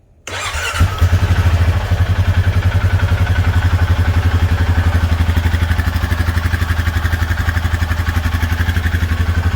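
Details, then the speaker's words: 2021 Honda Foreman 520 4x4 ATV single after the valves were adjusted to intake 0.006 and exhaust 0.009. It fires quickly and settles into an even, steady idle thump with no valve tick. Normal idle. "And then when you're done, always check it again. Sounds perfect. Sounds good."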